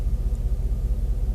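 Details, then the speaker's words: Engine idling with steady needle but a slight miss and uneven beat, rough and shaky; owner suspects spark plug, plug wires or coil pack, cause not confirmed. "quite like it's 100 percent sounds like there's a slight miss so i don't know uh could be anything from that spark plug that spark plug wires i guess could be the uh uh coil pack thing where all the spark plugs hook into i suppose"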